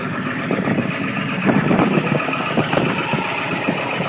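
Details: 7.3 Powerstroke diesel at about 30°F with new glow plug relay, glow plugs and batteries, plugged in about 5 hours, still failing to start. Started with starting fluid, it clatters at a fast, uneven, lumpy idle after running about a minute.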